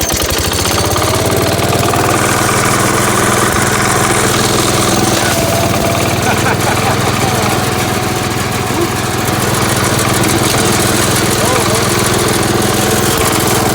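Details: Gravely Commercial 12 running after mouse nest removal and reassembly, about 40°F out; small petrol engine firing at a steady beat with even throttle, no stumbles or knocking; running properly.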